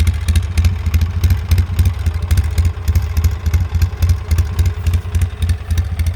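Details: 2003 Polaris Sportsman 600 Twin ATV idling with a loud, sharp knock repeating about three to four times a second; owner asks if this is normal: engine knocking.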